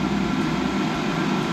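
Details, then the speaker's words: New-model cheap Chinese diesel heater with new controller, just installed in self-converted Sprinter van, burning off new-heat smell: steady very loud fan rush and low exhaust drone, no knocks or surges; normal operation. "yeah it's certainly no quieter than the last one that's for sure they are bloody loud um yeah they're very very loud"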